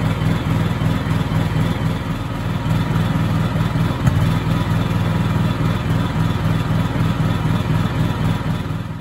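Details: Honda EU7000is generator with GenConnex conversion running on natural gas at about 700 VA: rough, lumpy idle shaking the whole unit, irregular pulsing and occasional sharp backfire pops; runs worse with no load.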